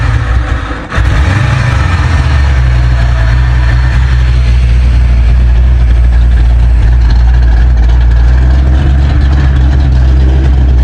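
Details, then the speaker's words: Ford F100 V8 with aluminum heads after replacing wrong-style spark plugs: deep, steady idle with even beat, no misfire or knock, sounding better, still somewhat cold-natured; computer not yet relearned. "Sounds better back here, that's for sure. Still a little cold in nature."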